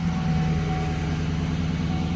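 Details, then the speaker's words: 2013 GMC Sierra/Chevy Silverado farm truck after replacing rat-fouled fuse box that caused stuck brake light and no-start: starts and settles to a steady even low idle with no knocks, misses or squeals; fixed. "let's see if it starts because it started not starting before and it starts"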